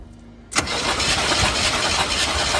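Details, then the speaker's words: 1972 Chevy C20 with factory 402 big block, fresh oil just added, cranked during a spark check: the starter churns evenly but the engine never catches. No spark was seen, so it cranks but will not start. "Good. Don't see any spark. Okay. Okay, before I go do anything more on trying to figure out if I got spark, I'm gonna go ahead and throw the spark plugs back in the engine"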